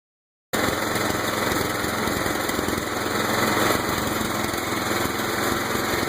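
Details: Murray lawn tractor with Kohler CV15S engine, revived after sitting seven years, running above half speed with a rough rapping knock through its drone; owner unsure whether knock or backfiring, cause not confirmed.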